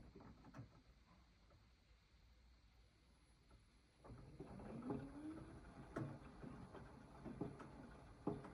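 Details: AEG 8000 washing machine, drum turning slowly: slow, uneven dull knocks about once a second, mostly when turning counter-clockwise; disappears at higher rpm, returns on slowing; persists with the detergent cup removed. Source unclear.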